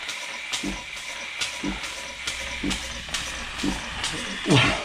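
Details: 1950s German engineering-students' steam engine on its first test run since then, fed steam from a DeLonghi coffee machine because its boiler has holes. Soft hissy puffs, two or three a second and slightly uneven; normal running.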